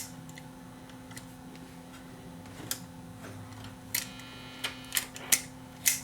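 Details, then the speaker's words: Marconi 238 vintage tube radio after replacing all paper capacitors, no antenna connected: faint steady hum with clicks and no program sound; the audio path is dead, cause not yet found. "more testing, I guess, is in order because I don't hear any sound."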